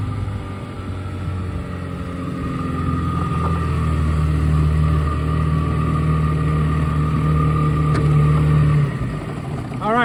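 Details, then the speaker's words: 1971 Mercury Thunderbolt 7.5hp two-stroke outboard with perma-gap spark plug, GPS power run at about 17–17.5 mph under load: even high drone holding steady revs, no misfires, knocks or rattles; healthy. "This motor does have the perma-gap spark plug, and this is a nice healthy engine. So that's what they should sound like."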